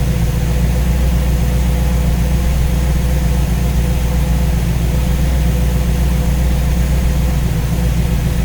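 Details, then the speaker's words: V8 with newly installed Ace's Killshot EFI and Blackjack distributor, timing set at 15°, idling while radiator is topped up with water; deep, steady burble with no misses or knocks as the EFI settles; judged to sound pretty good. "sounds pretty good everything looks pretty good"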